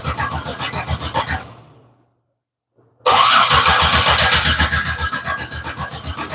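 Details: Holley-injected engine, fuel pumps running: even cranking about four beats a second, pause, more cranking that never fires; no spark because a fuse circuit had no voltage, dead power feed.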